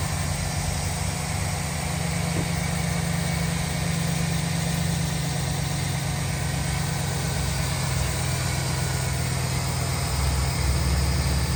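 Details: 2008 Chevrolet Silverado 1500 LT, 5.3 V8, 253k miles: engine fires right up and idles smooth and quiet, a steady even low rumble with no knocks, misses or ticks; exhaust sounds great. Normal idle.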